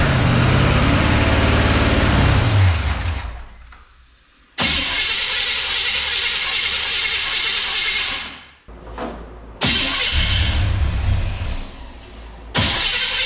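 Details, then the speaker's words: 1966 Chrysler Newport convertible, engine running again after sitting, with a weak battery: harsh chewing grind as a loud starter cranks in bursts, then the engine catches and runs. The wrong starter was fitted and chewed everything up; a different starter fixed it. "Maybe it's just a starter, but it seems to be cranking all right. Sounds like it's gonna run. Battery's not liking it. The starter is loud though, isn't it?"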